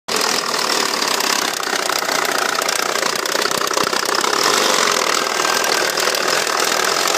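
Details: Mitsubishi Evo 4G63 engine running rough at low rpm with a fast, tinny knocking rattle. It runs smoothly above 2000 rpm but sputters and dies below that or at idle; the rocker arms appear fine.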